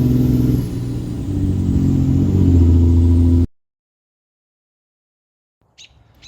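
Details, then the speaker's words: Truck driving without an intake, after an injector stuck open: the engine pulls steadily under load, then dips briefly during a clean second-to-third upshift with no clunk or flare. Normal automatic gear shift. "listen to this clean second to third gen sh or third gear"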